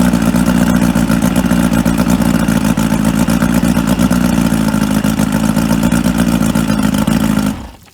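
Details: Outboard on a 1995 Spectrum 16 Dominator boat that sat 22 years, run on muffs with water and fresh fuel after a spark check: it catches and runs hard at a steady, fast pace for about seven seconds, then cuts off, so it runs fine.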